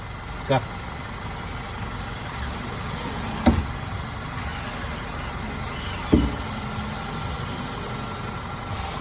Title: Clunk Noise